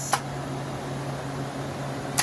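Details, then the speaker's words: Older TIG welder after a new high-voltage arc-start impulse transformer was fitted: power on with no gas flowing, steady low electrical buzz with the reassuring relay click at each end, confirming the arc-start works. "And we should get that nice reassuring sound of the relay. And we're getting it."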